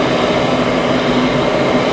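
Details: Goodman furnace starting after gas valve replacement: even whooshing burner roar over steady fan hum, no popping or hesitation; lights and runs normally.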